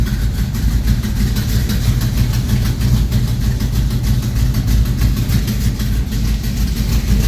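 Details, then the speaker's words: 1973 Plymouth Duster, 440 V8 bored .030 over with MSD 6A ignition, cold start after sitting a week, fuel pressure set at 6: loud, deep, lumpy idle from the big cam, even and unbroken, with good oil pressure. Normal cold idle. "good oil pressure the fuel pressure i have it set at six right now it's cold that's where the idol's at"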